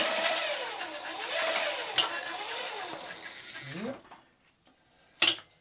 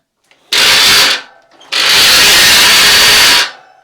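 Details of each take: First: Giant Twist Double e-bike, roughly 30V, with a Sanyo front hub motor after its worn internal gears were replaced. Under load from the squeezed front brake, a smooth motor whine rises and falls with no grinding or clatter, so the new gears sound healthy. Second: Giant Twist Double e-bike with a roughly 30V Sanyo front hub motor, front wheel on the ground under hard pedalling: two harsh, loud grinding whirrs, one brief and one about two seconds. Worn internal hub motor gears.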